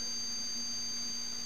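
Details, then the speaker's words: 1974 Zenith E4760 'Avanti' series TV after all 22-5001 safety capacitors were replaced: a steady low hum with a thin high-pitched flyback tone. The owner suspects a module and the tube, and the noise mostly goes away in service mode, leaving a slight main transformer hum. "I don't know if this camera will pick it up or not, but you can hear a hum in here."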